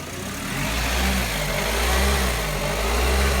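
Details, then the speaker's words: Suzuki SX4 with the electronic throttle drive (H-bridge) fuse pulled: revs surge and fall about once a second. The throttle sits at its spring-set limp-home position, hunting but still running. "I have no drive and the relative throttle position actually opens a wee bit there you can see it again here in the car obviously hunting not ideal but better than dead in the water I guess"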